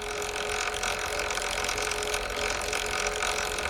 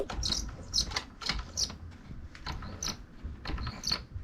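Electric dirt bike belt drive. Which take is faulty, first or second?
second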